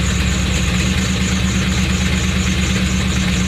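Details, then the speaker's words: Rough idle on a straight-piped 88–98 Chevy Silverado: loud, uneven, lumpy idle that keeps hunting; no vacuum leak found with cigar smoke test, owner now suspects ignition timing or the newly replaced distributor, cap and rotor. "well someone actually said that this thing might be out of time a little bit so if that's what it sounds like please let me know in the comment section below"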